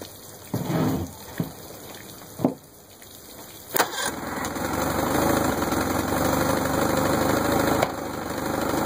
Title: 1964 Merc 650 backfiring